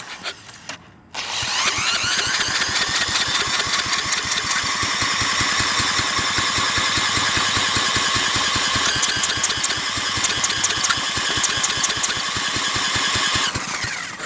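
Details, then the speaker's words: Briggs & Stratton industrial small engine with replacement carburetor: catches and runs unevenly with a rough beat about twelve seconds, then cuts out; runs briefly on starter fluid then stalls, cause not pinned down. "i've tried everything spraying starter fluid in there it of course it runs for a second but then cuts off"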